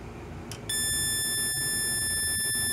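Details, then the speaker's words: Homemade 1972 electronic siren oscillator with its electrolytic timing capacitor removed completely: a click, then one steady high-pitched constant tone that never sweeps, as expected without the capacitor. "ok I've removed the capacitor completely let's see if it will oscillate without it it should be a constant tone"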